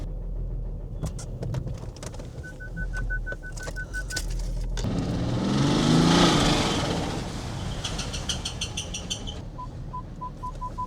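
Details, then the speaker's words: 2011 BMW 535d xDrive (N57 diesel) bought blown from Slovakia: loud, regular heavy knock about three times a second that swells with revs, sounding like it's about to break; deep lower-engine knock, engine to be replaced. "Let's see if it starts. Oh man, it's crazy how it knocks so loudly."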